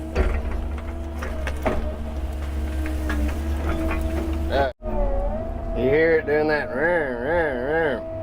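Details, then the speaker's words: Excavator clearing brush with a hydraulic head: diesel rumble with a wavering whine that swoops up and down under load. It's an annoying noise from cold hydraulic fluid, and it stops once the fluid gets hot from hard work. "it'll quit doing that once that fluid gets hot and it's an annoying sound it doing that's annoying"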